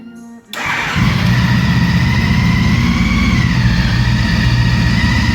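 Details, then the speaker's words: 2014 CTX 1300 Deluxe motorcycle started in a garage: a quiet start, then a deep, even rumble with a steady high whine, which is described as its normal sound; a healthy start. "You hear the whine, and that's how it sounds."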